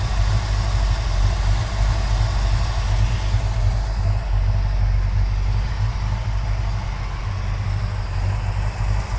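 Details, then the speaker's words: 1970 Dodge Challenger R/T, owner-built, just after a carburetor swap with a freshly rebuilt carb: deep, steady V8 burble, even low rumble, no misses or knocks, warming up; normal cold idle. "okay we'll give it a few minutes warm it up"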